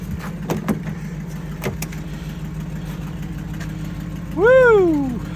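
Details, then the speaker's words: Mercury Grand Marquis 4.6 V8 with 171k, jump-started on two jump packs: a low, smooth, even idle hum with no knocks or misses, plus background clicks and a brief whistle. A normal idle. "4.6 still going just purring drive her home"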